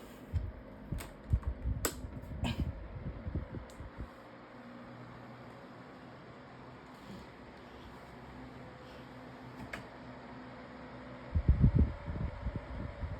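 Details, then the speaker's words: 2026 version of the Lasko 18-inch plastic table fan on medium speed with oscillation on. Quiet, low motor hum with a few soft clicks as the head swings; a click in the oscillation had been noted on low. Normal running. "has pretty good oscillation with this motor or blades um like part set or something."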